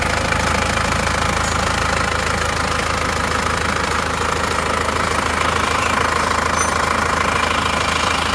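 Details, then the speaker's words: Isuzu Panther diesel after rebuild of broken crankshaft (failed one month, 200 km after engine overhaul), new clutch lining, first start: steady idle, even light clatter about 200 per minute, no heavy knock; sounds normal. "nah ini sudah hidup teman-teman hidupnya seperti ini suaranya seperti ini"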